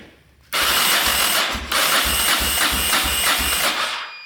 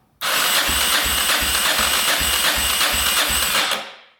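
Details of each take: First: 1990 Yamaha XT600 single that sat for ten years, cranking after oil was added to the cylinder: brisk starter with even compression pulses; compression rose from low to about 125-130, suggesting slightly stuck rings. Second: 1990 Yamaha XT600 that sat ten years, cranked on electric start with the carbs off during a compression test. About three soft beats a second, reading under 100 psi, so compression may be low. Stuck rings suspected; oil to be added.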